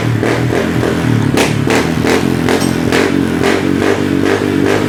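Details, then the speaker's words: Honda PCX150 scooter idling after an oil change, heavy white smoke; rough metallic clatter about three times a second. Owner suspects it was ridden low on oil and the piston rings are worn or stuck, so fresh oil now burns off; teardown planned. "ทีนี้ลูกแหวนน่ะมันน่าจะนะครับมันน่าจะตายหรือว่ามันน่าจะติดแล้วแต่รถอ่ะยังขี่ได้ทีนี้พอเเปลี่ยนมันเครื่องใหม่ปุ๊บมันเครื่องเข้าไปเข้าไปเลี้ยงปึ๊บควันออกเลย"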